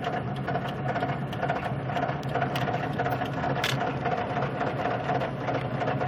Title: knocking sound driving slow